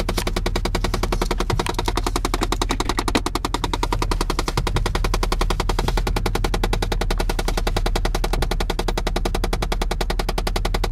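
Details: 2006 Chevy Impala LT, 160,000 miles, idling after remote start: rapid, sharp machine-gun knocking from behind the dashboard, not the engine. Owner suspects jammed air-vent airflow control motors (HVAC door actuator), later also wonders about the airbag system.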